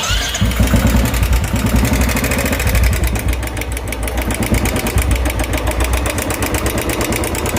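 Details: Royal Enfield 350cc BS4 with loud engine noise: starts and settles to idle with a quick, sharp tik-tik ticking over the thump; diagnosed as hydraulic tappet noise, not piston, crank or timing chain.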